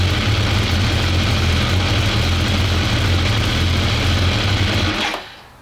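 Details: BMW K1200 R, hot: revving four-cylinder sounds ragged, with stumbling, uneven firing pulses. No fault codes now; fuel pressure 2.3 bar, on the low side. Rough running, cause not pinned down.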